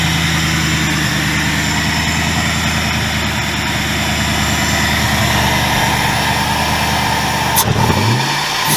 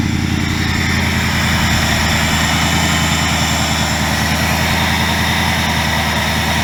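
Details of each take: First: 2000 Ford Mustang GT with a Lincoln Mark VIII 4V swap engine. After revving, idle hangs high about four to five seconds before dropping. Owner attributes it to the ECU being from an automatic 2003 Mercury Marauder: hanging idle after revving. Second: 2000 Mustang GT with a swapped Lincoln Mark VIII 4V V8, after fixes including ECU board cleaning for a sputtering problem: deep, even idle burble with no stumbling, sputter or misfire; running much better.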